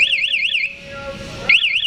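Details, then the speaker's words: Shock-sensor alarm on a KTM Duke 200 motorcycle with an MP 1-way alarm fitted: shrill warbling siren sweeping up and down, brief gap then restarting, set off by a bump or vibration, sounding about five seconds. "ini alarm kunci kontak saat tersenggol kena guncangan kena getaran tiada bunyi ya seperti ini kurang lebih lima detik"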